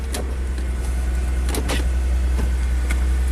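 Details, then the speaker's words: 2005 Chrysler Crossfire idling right after its crankshaft position sensor was replaced to cure stalling and the negative battery cable reconnected; steady low, smooth even hum with faint clicks, starts and runs normally. "Let's throw the negative battery cable back on and see if this thing starts up."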